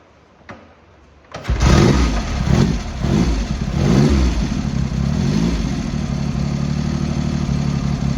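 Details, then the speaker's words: Triumph Hurricane X75 triple after reinstalling the rebuilt carb rack, pilot screws richened slightly and left carb adjustment corrected, not fully warmed up; fires, a few blips, then holds an even steady idle, improving. "Getting there. That's better. So we're getting there."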